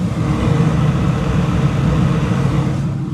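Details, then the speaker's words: Gas furnace / package unit draft inducer after replacing a rusted inducer wheel that caused grinding and screaming; steady, even low hum with no rattle or scrape. After repair, running smoothly. "Woo, that's smooth."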